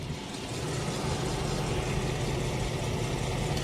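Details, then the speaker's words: Chrysler 300 SRT8 V8 at idle on a hot day after a rusted-out catalytic converter part that caused a ringing noise was removed; even, low idle with steady rumble, no rattles or knocks, ringing gone: normal idle. "just regular engine you feel me just making a regular engine noise"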